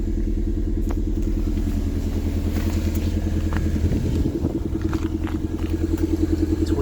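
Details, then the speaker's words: 1994 Toyota MR2 Mk2 GT turbo (JDM, rev 3, MAP sensor, Celica GT4 charge cooler), cold start after sitting since 2020: uneven, lumpy idle pulse with an occasional stumble; intermittent misfire. "Oh, bit of a misfire there. Sounds a bit lumpy."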